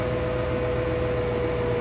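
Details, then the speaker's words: Car stereo and amp hum whose pitch rises and falls with engine RPM and comes and goes. Steady hum persists while testing the ground connection. Ground loop, later fixed by running a ground from the stereo directly to the amp; cause suspected at this point. "no difference I'm touching the ground still hear that hum so I'm gonna take off all the other grounds and just have this as the only ground"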